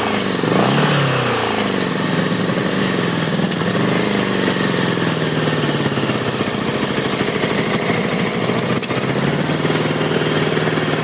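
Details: 1983 Honda Goldwing Aspencade project engine running for the first time, started on full choke, throttle held wide open: catches, revs hard, then settles to a ragged idle that hunts and stumbles; rough running, fuelling suspected, not confirmed.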